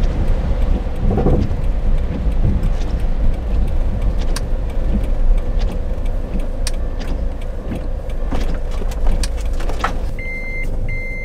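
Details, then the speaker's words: Camper van driving at night in rain: uneven light clicks and rattles through heavy road rumble, sounding like something rattling in the cargo space; cause unknown. "Czasami zaczynam słyszeć hałas, jakby coś na mnie wpadało. Słychać jakby coś grzechotało w przestrzeni ładunkowej..."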